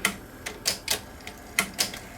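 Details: Sony SL-HF900 SuperBeta VCR, previously serviced elsewhere, with a loose fallen-off part shaken out, poor picture and bad alignment: sharp, uneven clacks from the threading mechanism; abnormally noisy tape loading and unloading.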